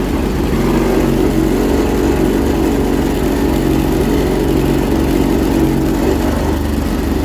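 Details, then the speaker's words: Roughly 40-year-old 1980s Honda Fourtrax ATV, restarted the day after a run: uneven idle with a stumbling beat instead of a steady one, sounding like it's running on one cylinder; rough running. "kind to run it fny running on one cylinder sounds like it's running on one cylinder"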